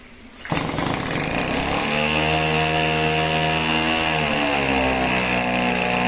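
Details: 26cc two-stroke pest-spray engine at about 45–50% remote throttle, restarted after the choke comes off: it pops into life, then a steady high buzz holds a clean, even pitch without surging; running healthy.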